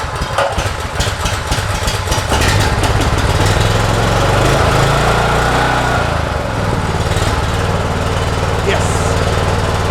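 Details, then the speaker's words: Honda GX390 on a Troy-Bilt 3800 psi pressure washer, after replacing the corroded gas tank, fuel line, filter, carburetor, air filter and spark plug and changing to 10W-30 oil: starts first pull on choke and settles into a steady even chug. "and first pull started right up"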